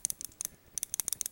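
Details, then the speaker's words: Folding knife (Griptilian, 154CM satin blade) shaken: light, tinny clicks in quick clusters from loose internal play; rattles though it works and locks up fine, to be sent back for replacement. Finding: knife rattle. "i won't have a review for this uh right now because i'm gonna be sending it in back to knifeworks.com because it came with a rattle as you can hear"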